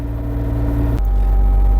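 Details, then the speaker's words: John Deere 27D mini excavator diesel, 1,267 hours, started right away without glow plugs: steady, even low drone at constant pitch with no knocks or misses; normal healthy idle. "Um, even without any glow plugs, starts right away. Give it a little. We go. [Music] I think it runs great."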